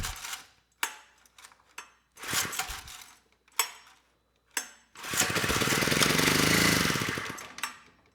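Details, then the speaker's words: 1970 Honda E400 generator, not run in over a decade, new small air filter fitted, carburetor not yet cleaned: a few failed pulls, then rough uneven low-speed run that never reaches governed speed, pilot light off; dirty carburetor suspected. "we've got a runner well maybe not a runner but the engine does run now I don't see the light turn on so either it's not making power we got a burned out light or I would say most likely the engine just wasn't spinning fast enough"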